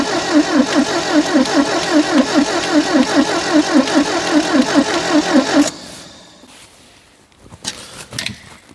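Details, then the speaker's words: 1972 Triumph Dolomite 1850 barn find, off the road since 1990 (34 years): steady, even starter cranking for about five seconds with no firing stroke; owner suspects no fuel reaching the carbs, fuel pump uncertain. Crank, no start. "choke well no joy not even trying I don't think there's any fuel in there"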